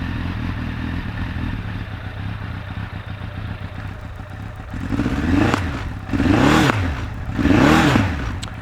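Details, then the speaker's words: Suzuki Bandit 1200 project bike, cold start with choke just let off: uneven, lumpy, coughing and spluttering idle that smooths little when blipped; misfire, running on three of four cylinders, cause not confirmed. "she's coughing and spluttering a little bit which isn't great but don't know if you can hear that through the microphone but it's definitely on three cylinders"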